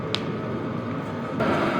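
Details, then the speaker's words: HCalory Toolbox Max diesel heater at maximum setting 10: steady fan rush with a little exhaust sound and no fuel pump ticking; running normally. "So as you can hear, there's no ticking, and it is cranked up to 10 right now."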